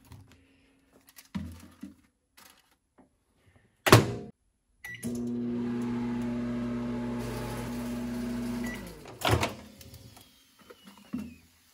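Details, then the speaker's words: Old June 1999 built-in KitchenAid microwave humming steadily heating noodles, running normally after replacing a failed magnetron and mica paper cover. "all right here we go we've got some steaming hot noodles and this microwave is back in operation"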